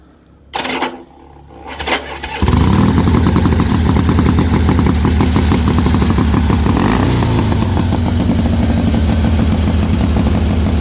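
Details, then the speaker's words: 1979 AMF Harley-Davidson Sportster V-twin: after a few cranking bursts it catches and settles into a loose, uneven loping idle that wanders rather than holding steady; runs and rides but idle not yet set right. "but you know we got it running we got it riding um but i reckon you know you'll probably fix it within a day and get it idling right"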